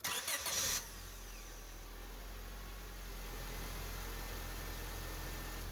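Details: 2005 Honda Civic after starter replacement: brief brisk cranking, then catches into a quiet steady idle with no grinding or clicking; new starter working, problem fixed.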